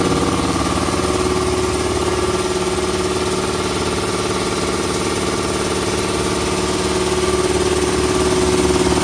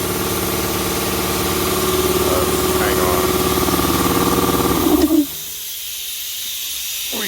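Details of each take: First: Puma 60-gallon 5 hp air compressor running after the tank drain valve was closed: steady even hum with a quick regular pulse of about four beats per second, no knocks or rattles, really quiet; normal running. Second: Puma 60-gallon 5 hp air compressor starting up after install: motor drones with a steady hiss over it until cut off; air leaking from the tank bottom drain valve left open after draining, then closed.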